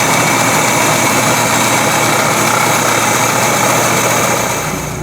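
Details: Carbureted petrol engine with replacement Weber carb idles steadily and evenly, no misses, after on-car curb idle speed and mixture screw adjustment.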